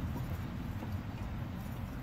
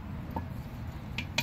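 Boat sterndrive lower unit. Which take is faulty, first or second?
second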